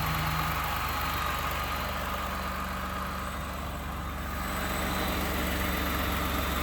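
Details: 2018 Ford F-150, 2nd gen 3.5 EcoBoost V6, 29K miles: steady idle with fast even tapping rattle about four per second over engine hum; startup rattle commonly linked to cam phasers, cause unconfirmed.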